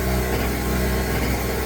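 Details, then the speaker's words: Pulsar 1200W portable generator, new, just after cold start on full choke: buzzy small engine with unevenly faltering beat; sputtering idle. "It's not super quiet. You can hear it sputtering."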